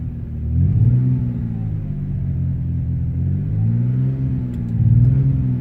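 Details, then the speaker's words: Ford Escape V6 at 26°F with a completely failed ignition coil: rough, lumpy idle with uneven pulses and periodic bogging, running on five cylinders with a #3 misfire. "it is 26 degrees out right now in that bog down sound and I'm only running on six or five cylinders"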